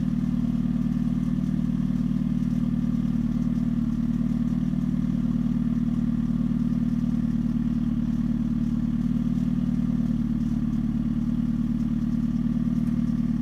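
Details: 2013 Hyundai Genesis Coupe 2.0 automatic at idle: steady hum with faint uneven light rattle; owner suspects engine, engine mounts, or exhaust hanging too low, source unconfirmed.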